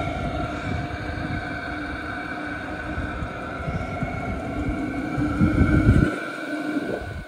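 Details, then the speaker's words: H Calory diesel heater about 10 minutes in, outlet 132°, exhaust 467°, on its third run, having always started first try with no fuel starvation. Steady, even combustion roar with a constant fan whine, no surging or misfire; normal. "this is the third time that I've actually let this thing run it's always started up first try"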